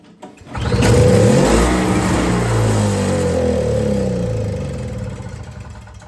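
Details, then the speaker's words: Yard Machines 21-inch single-stage two-stroke snowblower (50:1 mix) that wouldn't start fires on starting fluid sprayed into the carburetor without choke, runs ragged about four seconds and dies, suggesting it isn't getting fuel; a nest was blown out. "And out come a nest, but it fired. That's good."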